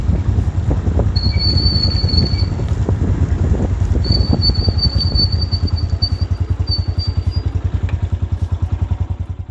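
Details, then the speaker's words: Motorcycle drum brake after riding in the rain: a high, thin squeal near 4 kHz comes and goes over the wheel rumble as it slows. The cause is wet brake dust paste on the drum shoes, and the fix is to remove the wheel and clean out the dust. "यह बारिश में कराने के बाद उसकी drum brake में से आवाज आने लगती है"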